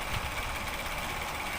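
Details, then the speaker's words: Electric fan: motor whirring with a faint uneven knocking from the rear; first thought to be worn bushings, but the broken rear rotor stopper/spacer lets the rotor strike the motor and shaft, and it must be replaced. "So ito nakita na natin kung ano yung nagco-cause ng ingay. Tumatama siya dun sa ating motor or diyan sa shaft. Nabasag na siya kaya maingay."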